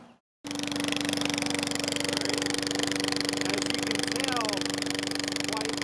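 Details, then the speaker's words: Briggs & Stratton push mower running without a muffler after the old one completely rotted out: a harsh, raspy, unmuffled bark at a fast, even rhythm. "As you can tell over here, the muffler that was on it was just completely rotted out. So we were getting a lot of noise every time we ran this."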